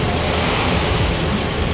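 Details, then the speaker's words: Toyota Agya GR Sport petrol engine after repairing the injector wire: dense, even idle with no stumble, misfire gone, and no trouble code remaining on the diagnostic tool. "ini mesinnya sudah tenang tidak ginjal seperti tadi ya"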